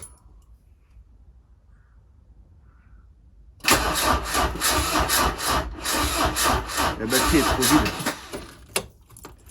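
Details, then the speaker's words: Peugeot 205 diesel after DIY engine block replacement for broken camshaft, start attempts: sluggish labouring crank about three turns a second, never catching; owner suspects weak battery, later starts from another car's battery. "je pense que la batterie c'est de la merde je pense que c'est une merde la [ __ ] de batterie là"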